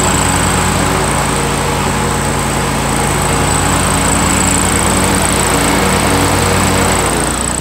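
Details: 2003 John Deere X485 garden tractor, 25 hp liquid-cooled Kawasaki EFI engine, about 660 hours, fuel pump just replaced: steady, even drone at constant speed with a faint high whine, no misfires or hunting; normal running.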